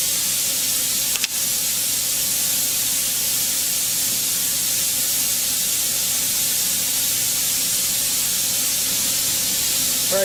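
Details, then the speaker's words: Autoclave steam sterilizer after about half an hour of sterilizing, release valve open: constant, even high hiss of escaping steam with no sputter or whistle; normal venting down toward one atmosphere. "so now i'm ready to release the pressure when i do this it will it will fill the room with stench so i will turn on the exhaust fan before i flip the valve"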